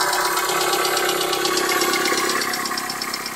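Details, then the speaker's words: 21-year-old engine at cold idle after a light overnight frost: regular light knocking about three a second over the engine hum; source not identified; owner says the engine needs repair anyway. "Есть такое хорошее выражение. Хороший стук всегда сам вылезет, да? На 21-летнем двигателе уже и пора бы."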